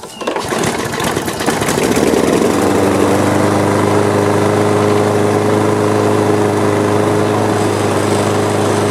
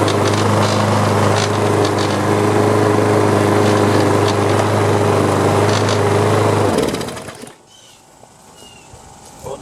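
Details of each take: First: Free older Troy-Bilt mower with an OHV engine and metal carburetor, heavily carbon-fouled, run on a little gas: catches right away and holds a steady, even beat. A rattle was blamed on a loose cover. Normal running. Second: Free Troy-Bilt walk-behind mower with rear-wheel drive, after carburetor work: small single-cylinder engine running steady with a fast, even buzzy rattle before shutdown; owner thinks a loose cover was rattling and removes it.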